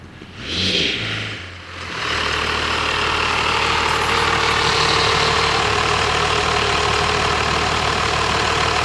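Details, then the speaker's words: 1997 Dodge Cummins 12-valve 215 hp manual truck on a drive, after the power steering reservoir burped out air: steady, even diesel run with wind and road hiss, no knocks or misses, engine healthy. "yeah so that thing just purrs like a kit you wouldn't think you could drive a truck to look like that but that's actually a lot of fun"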